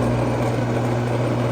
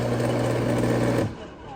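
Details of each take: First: Bosch AXT 2200 garden shredder, after cleaning and reassembly, running in forward: steady, even motor hum with a firm low tone and no knocks, rattles or grinding. The motor runs smoothly. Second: Bosch AXT 2200 garden shredder motor; it hums up steadily for five to six seconds, drops out, then restarts with a thump, running only while the switch is held. The cause is dirty switch contacts.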